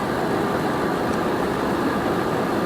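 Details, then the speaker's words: 2006 Nissan Armada 5.6 V8 (body 185,000 miles) after engine swap, idling after being put through reverse and drive: a low, even rumble with no knocks, misses or surging. Purrs like a kitten; normal idle. "Purrs like a kitten."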